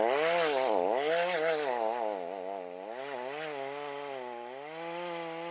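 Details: Stihl MS310 chainsaw on a cold start, cutting wood after its rakers were corrected and the carb adjusted with no parts replaced; crisp two-stroke note rising and falling with each cut, pulling strongly without bogging; healthy running saw.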